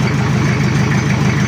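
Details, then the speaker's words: Toyota Kijang diesel with new water pump and thermostat in place, cold engine and oil: steady even low idle clatter with no knocks, misses or squeals; engine fine. "pumpnya kelihatan mengkilap sendiri untuk water pump dan untuk mesinnya"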